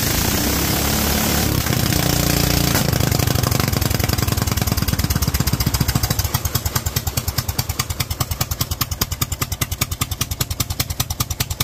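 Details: Kohler single with Honda carburetor, .024 idle jet and 47 main jet: even thump easing down smoothly with no misses; running cleanly, slightly less kick than the 45 jet.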